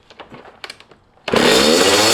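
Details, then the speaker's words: Dirt bike, just rebuilt from parts, started to check idle: revs instantly to full throttle and stays pinned; owner unsure of the cause and tries backing the idle screw out, also suspecting rich running or a stuck float. "Holy crap. Okay, so that thing is just going full throttle right away."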